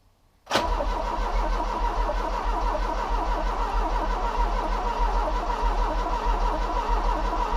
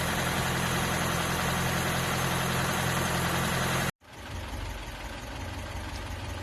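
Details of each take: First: Ford Cortina Mk3 Estate, first start attempt: starter cranks steadily for several seconds without catching; no petrol has reached the fuel filter yet. Crank, no start from fuel starvation. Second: Mk3 Ford Cortina Estate after carburettor rebuild, warmed up after running on choke: steady, even idle with a smooth low rumble, no knocks or misses, then shut off; idles as it should and revs nicely.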